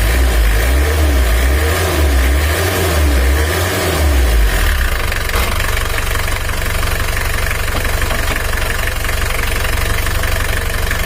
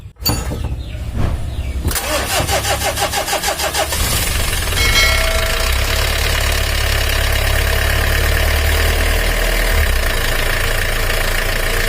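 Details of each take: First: Mitsubishi L300 diesel, treated for weak power and high fuel use, after timing work: steady, even clatter at a cold idle before reaching operating temperature, no stray knocks or misses; runs smoothly. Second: Mitsubishi L300 diesel, with complaints of weak power and high fuel use, after timing belt adjustment: it cranks and catches, then a dry, uneven rattle rides the cold idle until oil pressure reaches the top end.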